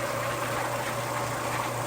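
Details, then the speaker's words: Homemade vibratory rock tumbler after a bearing rebuild, having run non-stop for months and grown noisy: now a steady low hum with an even rumble of rocks tumbling, no grinding or squeal, much quieter. "now I can actually hear the sound of the Rocks tumbling and then I can hear the sound of this vibratory tumbler right here couldn't hear any of that before"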